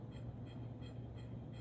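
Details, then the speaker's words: Emerson 1895 Series Ornate ceiling fan with non-original light kit, running at about 0.43 A, 52.8 W: steady low motor hum with a light metallic rattle pulsing about three times a second, from the loose light kit shaking; noise absent in an earlier recording. "Okay, I do not know what that noise is. It sure as hell wasn't making that in the previous take. Granted, that was a few days ago when I recorded that. God damn, this stupid fan. What are you doing? The light kit, of course. Somehow I'm not surprised it's the light kit."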